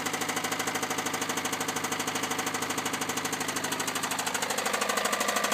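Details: 1998 Honda Civic cold start with severe rod knock: loud, heavy, evenly spaced knock hammering through every cycle at idle.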